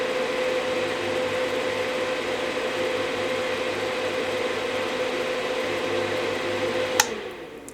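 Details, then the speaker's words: Marantz 2500 vintage receiver on a dim bulb tester with the power amp unhooked: after both relays click, the cooling fan whirs steadily at high speed. A completed startup suggests the transformer is good. "Oh, you hear the click? And the speaker relay went. Oh, and now the fan's running high."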